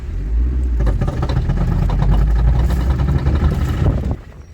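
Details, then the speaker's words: Mitsubishi Outlander XL 2.4, driving on a turn: rapid crunching clicks about four a second over a low rumble from the outer CV joint, which crunched after water got in; it was regreased and driven a year, and both sides now crunch, needing replacement. "попала вода шрус захрустел добавил смазки ещё Поездил год но пришло время менять потому что страшно слушайте как"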